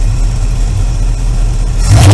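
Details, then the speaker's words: Engine after Pertronix Ignitor electronic ignition install, distributor timing and carburetor idle mixture tuned by vacuum gauge: steady low idle then quick clean throttle blip, vacuum dropping to zero, up to 25 and back; healthy throttle response. "zero up to 25 back down that's exactly how it's supposed to be that means the carbs just rightly tuned everything it's time perfect"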